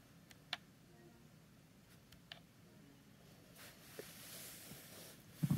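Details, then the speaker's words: PS5 DualSense controller gives a few sharp isolated clicks, like a small mechanism catching into place, when the PS button is pressed to bring up the menu; started recently, cause unknown, owner wonders whether a firmware update is needed or it is a fault. "i press the ps button to bring up the menu and there's a clicking noise or some sort of mechanism that's kind of locking into place"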